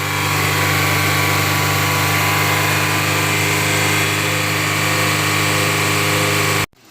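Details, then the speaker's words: Honda Element at warm idle after replacing the IACV and throttle body and running the idle relearn (3,000 rpm until the fans cycled): steady, near-silent even idle with no hunting; normal idle. "okay guys we are back we started to do the relearning process and now we're just letting it idle but if you guys can hear the difference compared to the first video we put up where we were showing it rev up and down this engine is like silent now"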